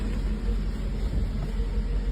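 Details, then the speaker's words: 1984 Mercedes 380SL V8 after replacing the 40-year-old ECU (and oxygen sensor) for rough idle and black smoke: low even smooth idle, no stumbles or surges; no seat vibration as before, no black smoke, fixed. "she's idling correctly I don't feel vibration from the seat like I was before so I think we're good"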